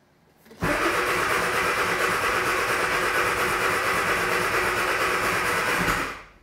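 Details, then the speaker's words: Classic Mini turbocharged A-Series engine, cold start on choke after new spark plugs: catches at once and settles into an even, slightly fast run with no misfire or knocking; normal cold start. "all right and there we go we've got an engine running so right now the choke is in so it's running a little high RPM with that choke out it does run very very nicely"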